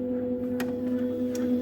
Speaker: Now you hear that the stepper is starting. That's the first action.